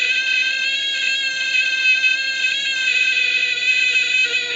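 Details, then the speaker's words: Major Morgan electronic toy organ, probed at the speaker wires: buzzy 500 Hz note wobbling between about 450 and 600 Hz, pitch unstable from poor contact through the worn keypad membrane's conductive coating. "oh it's interesting see the frequencies dancing around all over the place you may not be able to see that but from 450 up to 550 is it's gone very low now oh nearly made 600"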